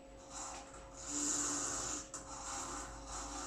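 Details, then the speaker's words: Milltronics Partner IV CNC milling machine on single-phase power with a VFD, jogging the Z axis at reduced feed: a gritty, raspy whir swells and fades over a steady hum. The Z axis works but sounds crunchy, cause unclear. "Man, that sounds crunchy. Um but it does work."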